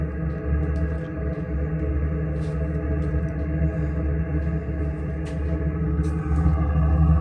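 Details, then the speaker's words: Chinese diesel combination RV water heater/furnace, second ignition attempt after bleeding air bubbles from fuel line: steady, even low drone with no sputter or pulsing, consistent burn; normal steady burn. "I don't hear it struggling. It's kind of gotten into a consistent burn here."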